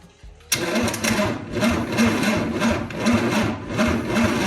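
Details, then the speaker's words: 1963 Chevy 230 inline-six, sat about 35 years, start attempt: starter cranks with pulsing uneven rhythm about twice a second and occasional pops, never catching; misfiring no-start, timing suspected out, plan to recheck at TDC. "Yep, that's it. I think in the timing's out, that's our problem."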